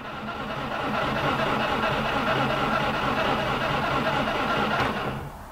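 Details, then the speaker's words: 2000 Subaru WRX GC8 with 310,000 km, sat untouched for 11 years, cranked without fuel to build oil pressure: even, brisk cranking for about five seconds with no grinding or clunks. Normal cranking. "and I'm quite happy with that that sounded pretty good for something that sat for a long time"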